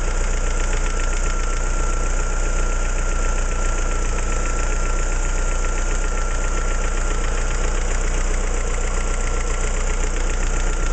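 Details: Opel C16XE engine at idle: steady idle with a regular knocking tick about three per second over the engine hum; something is knocking, source not pinned down.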